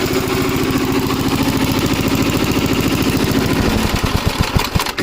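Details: Gravely Model L tractor with governor, already run earlier, on a quick yard ride after its blown head gasket was replaced; even single-cylinder thump at about 3.5 beats a second, held steady by the governor. Runs well, though an oil leak remains to be found.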